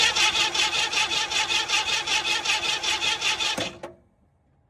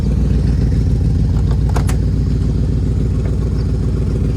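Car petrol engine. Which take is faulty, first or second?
first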